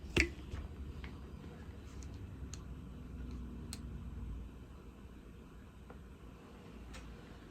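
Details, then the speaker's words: JVC TD-X501 cassette deck at end of tape: one sharp click then faint ticks over quiet hiss as it hits the leader and reverses; quick/auto-reverse works normally, earlier failure blamed on a dirty switch. "as soon as it encounters the leader it should reverse and it did oh okay so quick reverse might be working"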